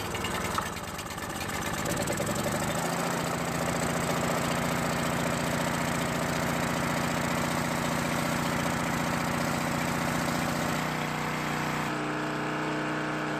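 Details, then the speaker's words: Coleman Powermate 1500 W generator that had been in long storage and would not start, run after cleaning the carburetor bowl, with the choke on. The pull start catches in about three seconds, then holds a steady, even drone with no misses or surging; now running fine. "Well, it looks like it works just fine."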